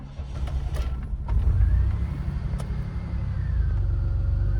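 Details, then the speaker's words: DeLorean started with the key turned two clicks to prime the fuel pump: a brief crank catches about a second in, then settles into a steady, even low idle rumble; a normal start. "Ignition, just like any other car. I like to do is I turn it 2 clicks. You'll hear the fuel pump prime, and then start it up."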